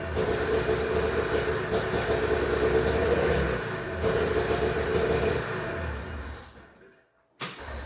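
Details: 1991 Arctic Cat Prowler 440 liquid-cooled two-stroke snowmobile after 4 years sitting: buzzes unevenly for a few seconds, sags and dies. Stalling is traced to a faulty throttle safety spring switch; it runs fine held closed and dies when released.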